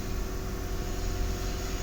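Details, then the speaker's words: 2017 Nissan Patrol, no-crank no-start (C1116-00) fixed by replacing stop lamp (brake) switch, started with brake pressed; even low steady rumble, no knocks or misses; idling normally. "Grip लगाता हूं दोनों के और गाड़ी को start करता हूं ब्रेक प्रेस की हुई है य चेक कर सकते हैं अदला गाड़ी स्टार्ट हो गई है"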